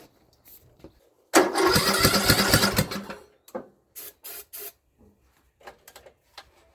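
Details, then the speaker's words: Free Craftsman LT2000 riding mower that sat for a few years, cranking: a harsh, very loud rasp comes from the intake, then scattered clunks; owner suspects a hole, later an exhaust blockage, and says it is not the muffler. "So that is definitely coming out of the intake. That's like really loud."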